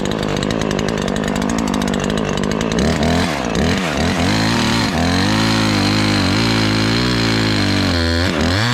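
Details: Ported Husqvarna 543 XP chainsaw in the cut under load: burbles unevenly instead of screaming cleanly; still four-stroking, high-speed mixture rich and needs leaning.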